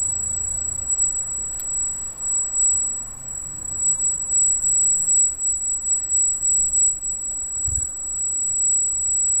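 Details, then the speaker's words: Freshly installed Arris CM2000 brushless gimbal holding a GoPro Hero with FPV cable offsetting the balance: constant piercing high whine over a quiet room while holding position, squealing like crazy; motor whine the owner considers part of the setup. "all right that's the heiress you can hear it squealing like crazy"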